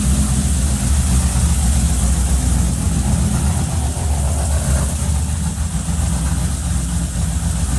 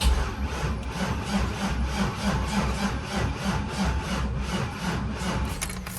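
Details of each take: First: Cadillac CTS-V with freshly rebuilt engine, custom 13:1 compression, CNC-ported LS3 top end, E85 fuel, first start: loud, deep idle with even steady beat, no ticks or knocks. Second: Cadillac CTS-V with LS3, custom 13:1 compression E85 build, first crank after rebuild, fuel pump working but no fuel in system: sluggish labored slow cranking without firing; flat battery, jump box needed.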